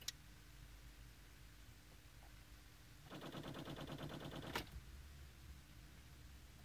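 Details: 2014 VW Passat won't start: about a second and a half of rapid, even clicking at key turn with no crank, clock runs backwards, same when jumped; cause was the failed battery, new battery fixed it.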